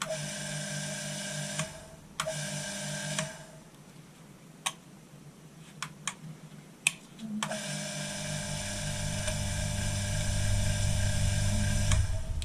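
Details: Bench grinder after strip-down, previously crunchy-sounding bearings: steady smooth hum with a clean even whine, brief stop, then spins back up evenly; running normally after repair.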